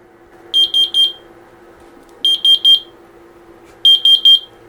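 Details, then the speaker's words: X-Sense Wi-Fi water leak sensor test: holding the button on the back gives shrill high chirps in groups of three, repeating every couple of seconds in a quiet room; the leak alarm sounding. "Okay, to test this, there's a little button on the back, and if you push and hold that button, this will beep."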